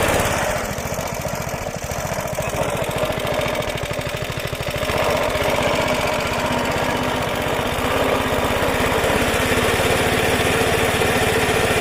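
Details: Roughly 70-year-old Suffolk Super Punch 17-inch cylinder mower, SIF 75cc cast-iron engine, after carb and points clean, drive engaged; quick even beat about three to four firings a second, staying steady; healthy normal running, drive works.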